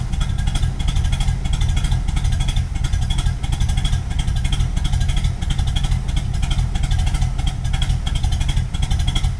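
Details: 1986 Pontiac Firebird with swapped-in Pontiac 400 V8 and TH400, not cammed: deep, shaking, uneven lope about ninety lumps a minute, far rougher than usual; rough idle, owner guesses the fuel pump/filter is starting to fail.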